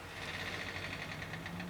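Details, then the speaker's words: Pentium Pro PC powered up during operating system setup: a quiet steady whirr with a thin high whine and faint rapid pulsing underneath. The noise comes from the power supply fan and is nothing serious. "That is the power supply fan that's making that noise, by the way. So nothing serious."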